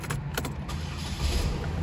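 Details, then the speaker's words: 2009 Chevrolet Malibu 2.4 Ecotec four-cylinder with an intermittent no-crank, code P0615; faulty fuse box suspected. After cooling down, short cranking settles into a steady low engine hum; cranks and starts normally. "all right you guys hear that it cranks up and starts i'm going to shut it off"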